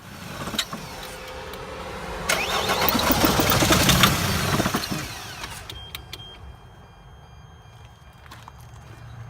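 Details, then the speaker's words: Mercedes Sprinter with P2149 and intermittent stalling while driving: cranks, catches, runs rough a couple of seconds then dies to a faint hum; chafed, burnt wiring harness wires shorting when pinched in this position cut the engine. "apparently there's probably a problem inside where those wires are so it's actually dying on me as it is in this position which is kind of kind of strange"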